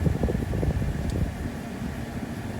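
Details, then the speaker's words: 2018 Mazda CX-5 HVAC blower motor just replaced (old one made weird noises), AC on, cover not yet refitted: steady low whoosh with slight rumble, no squeal or rattle; airflow about the same as the old one, normal blower operation. "not too bad it seems like it's pushing it pushing out about the same air as the as the old one uh you can hear a little bit of noise because i haven't put the cover back on yet"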